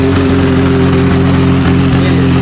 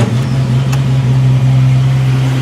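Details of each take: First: 1989 Jeep YJ at idle before exhaust replacement: loud, rough, raspy hollow drone with a steady puffing rhythm, much louder than normal. Exhaust system leaking. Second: 1989 Jeep YJ idling after a new exhaust system install: steady even low rumble, much quieter than before, with no leaks. Exhaust seems to exit only at the tailpipe; sounds sealed and healthy.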